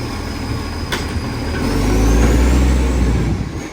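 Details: 2013 West Torrens diesel garbage truck pulling away under load: a heavy diesel rumble that swells, with loud raspy puffing. Big exhaust leak.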